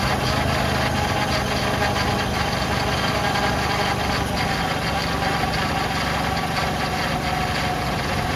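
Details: 2006 Ford Freestar 4.2L idling just after new power steering pump installed, fluid being added: smooth idle with faint steady high whine, normal light pump hum; normal power steering pump whine.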